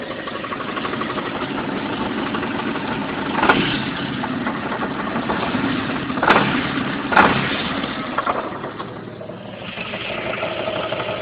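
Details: Jeep Cherokee idling: loud rough rattling knock with sharp metallic clacks under the hood, louder driver's side, gone above 1000 rpm, returning under light load; caused by finger-tight loose flexplate-to-torque converter bolts, sounding like a bad rod bearing.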